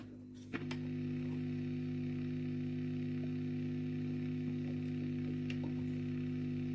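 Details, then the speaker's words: 1965 Wem Custom 15 valve amp, guitar channel, after cleaning the tube sockets. A steady low hum with buzzy overtone follows a click, no crackle; a little better. "So a little better now. We've cleaned those tube sockets."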